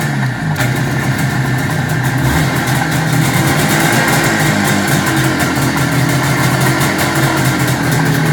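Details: 1973 IZH Jupiter 3 350cc two-stroke motorcycle with 6-volt system, revived after years unused with points set, carb done and wiring repaired: loud, crisp, rapid popping holding a steady idle without stumbling; normal idle.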